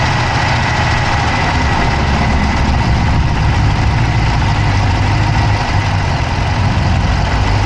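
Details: Dodge Charger Hemi V8 at idle, recorded inside the passenger-side engine bay: a quick, even ticking over a rough idle that keeps pace with engine speed; a top-end tick of unknown cause.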